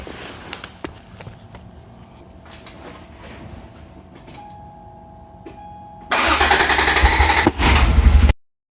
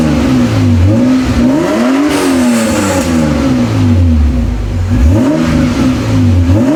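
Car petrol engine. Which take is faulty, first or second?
first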